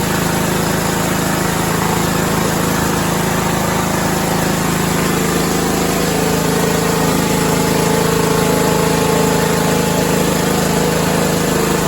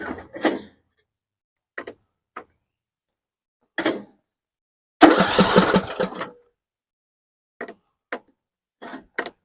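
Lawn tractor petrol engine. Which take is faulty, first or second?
second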